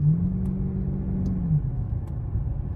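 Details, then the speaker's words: Cadillac STS after replacing factory-original spark plugs and coil packs: smooth low rumble, steady tone easing down with no stumbles or misfire pops; running like a champ, normal. "Oh my God, you can hear her. She's running like a champ. I'm so excited."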